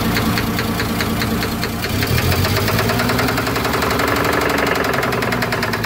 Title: Engine knock